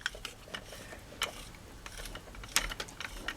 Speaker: it's in the play mode and as you can see the worm gear is stopped moving because it's now the the piston has gone stationary